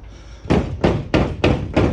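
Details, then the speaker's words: GAZelle truck: five hollow thumps, about three a second, as the loose top panel is rocked. Its self-tapping screws had backed out, causing a knock overhead over bumps for three months; owner had wrongly blamed the spoiler. "Вот так это происходило. Короче, саморезы выкрутились, и я даже ни ума не увидел, что они выкрутились."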